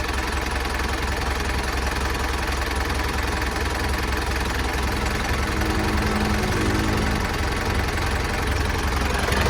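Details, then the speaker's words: Isuzu NKR 110 hp truck from 1990 (B.E. 2533), engine not yet washed, for sale: low steady smooth diesel idle, even rumble, no knocks or misses; quiet, healthy engine. "ช่วงนี้มันเงียบเลยนะครับเครื่องดีนี่เลยอ่ะ"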